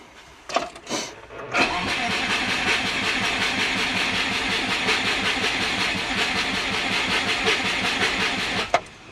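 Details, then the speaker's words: Turbo Subaru Forester with updated ECU tune, trigger reference error code: steady fast starter churning about seven seconds with no firing, then drops off; cranks but no start, cause unknown, spark to be checked. "This has got me stumped on why this isn't running."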